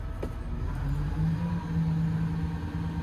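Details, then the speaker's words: Develon heavy plant machine in wet winter weather: deep steady diesel rumble settling into an even idle after start-up, no knocks or misses, then left to warm up; sounds healthy. "Ha! Love that noise when it works. Good."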